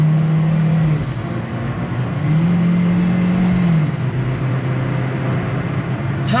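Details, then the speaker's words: 2016 Matiz Creative (Korean city car) during acceleration test after replacing simple consumables for check-engine light and unstable fluctuating RPM: engine pulls smoothly, note rising and falling evenly, exhaust no longer raspy tuned-muffler-like, original stock sound; normal acceleration. "전기 적인 문제 가 남아 있는지 확인 하기 위해 가속 테스트 를 진행 하겠습니다 . 이전 에는 튜닝 된 머플러 소리 처럼 들리던 배기음 이 완전히 안정 되었습니다 . 이것 은 차량 의 원래 소리 입니다 ."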